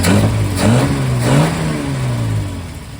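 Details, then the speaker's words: 1947 Plymouth Super Deluxe convertible six-cylinder after dual-carb balancing: idle screws and throttle blades set even, idle speed raised, and both pulling 21 inHg vacuum front and rear. Rises smoothly through blips and settles with a clean, even pulse. Normal idle and rev. "we're pulling 21 inches of mercury front and rear and it sounds like this"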